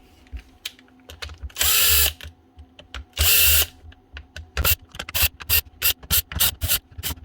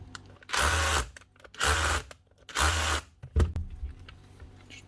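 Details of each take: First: Makita DHR242 18V cordless SDS drill: short stuttering motor bursts, starting and stopping several times a second, chuck jerking back and forth; stator or controller suspected, found a loose controller lead connection. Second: Makita 18V cordless SDS hammer drill: three short, even bursts spinning up cleanly on the trigger; motor and controller working normally.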